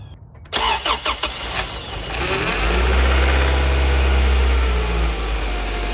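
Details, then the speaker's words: 1990-93 Honda Accord with an H22 Prelude engine swap, started while steering left and right: a deep droning groan that swells and fades; power steering pump groan caused by a constriction in the power steering hose. "give you guys a demonstration of what this power steering groaning is sound like with this constriction in the power steering hose"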